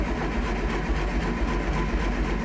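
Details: Triumph Spitfire after storage, with suspected wiring loom fault behind the ignition that keeps switching itself off and a low battery, in neutral: steady low starter churning with no firing; cranks but won't start, cause unconfirmed, choke next.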